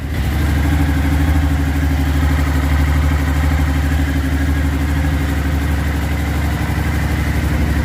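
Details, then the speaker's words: Suzuki V-Strom DL1000 first cold start after clutch basket replacement and valve adjustment; strong even V-twin beat, lumpy when cold, revs rise and settle cleanly, no rattle, much smoke from left judged normal when cold: healthy. "we have a lot of smoke from the left but I think it's normal for a cold bike like this we'll see after but for now except all the smoke I think everything look just fine"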